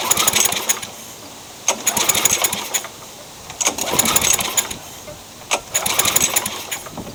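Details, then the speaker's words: Craftsman mower with engine swapped in for the blown Tecumseh, primed and given carb cleaner, wrong CJ14 plug fitted: rope pulls spin it with a rattly whir but it never fires; no spark, owner suspects bodged wiring grounding out. "Trying again with the correct spark plug. Still nothing. I suspect it's grounding out somewhere, as bodged as this thing is."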